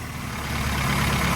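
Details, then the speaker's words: Classic car with dwell angle set at 60 degrees, just started after tuning work: short, steady, even four-cylinder idle rumble with no stumble or misfire. It runs much better than before. "So just starting the car and letting this one run, it was immediately obvious how much better it's running."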